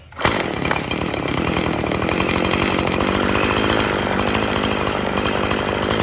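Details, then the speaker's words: Poulan Pro 5020 chainsaw, unused for years, revived with new parts and carburetor low, high and idle adjustments (low turned out about 2.5–3 turns): fires and holds a steady, buzzy high-revving run, no stumbling or surging; owner says not running its best. "so it's pretty good now it's not running the best but I'm gonna start it up for you"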